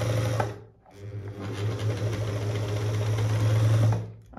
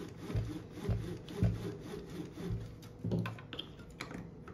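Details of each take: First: Dorina Overlock 710 serger, very dirty, with the motor worked loose from its mounting and still running: steady low hum with a loose, buzzy rattle underneath; the loose motor is the fault, cause unknown to the owner. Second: Dorina Overlock 710 serger after the loose motor was reattached (secured with superglue) and parts cleaned and oiled: after handling knocks it spins up into a smooth, steady whir with no rattle; running normally.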